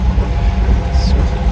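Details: Classic Fiat 500 in first gear with clutch released: small petrol engine pulls with a low, even rumble; the awful noise heard in every gear with the clutch pedal pressed disappears once the clutch is engaged.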